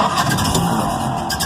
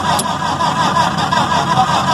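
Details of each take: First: Restored 1931 Ford Model A, low-compression engine, after advancing the spark and adding hand throttle, then bringing the spark down once it fires; it catches and settles into a rough but steady low-speed run. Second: Restored 1931 Ford Model A, first start of the day, possibly slightly warm, choke pulled; slow, uneven starter cranking around eighty turns a minute that never catches, with the owner thinking it needs the spark advanced more and a little more hand throttle.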